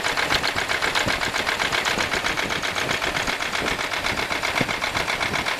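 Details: 1995 Buick LeSabre 3.8 V6 at idle with a fast, sharp, light ticking knock about four per second, also heard at the tailpipe, seemingly from the left side; owner suspects valvetrain, not confirmed.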